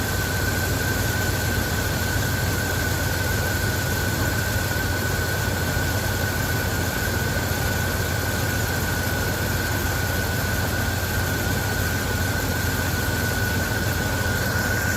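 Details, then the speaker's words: Engine idling after cold start, following cleaning of rust-clogged fuel injectors: steady even low rumble, no skips or misses; firing on all cylinders. "and so that was a complete cold start and you notice like that little skip at the beginning that's normal it seems to be smooth now"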